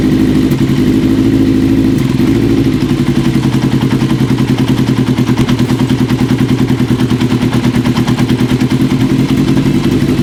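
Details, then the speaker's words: 1980 Kawasaki KZ750 at idle: uneven, loping idle with irregular pulses and a stumbling beat. Even after softening with wintergreen, air still leaks between a carb boot and the manifold. New boots are needed. "it made it a little bit better unfortunately it didn't soften it up enough we're still having some leakage between the car boot and the manifold"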